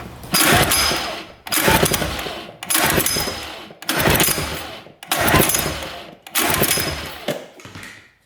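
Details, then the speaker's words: 1980s Japanese two-stroke jet-powered surfboard on premix, compression test while cranking: six even, strong bursts reading about 110 psi, both cylinders pretty even, above the 100 psi small two-strokes need. Normal compression. "Same thing. Boy, 110. That's good. They're both pretty even."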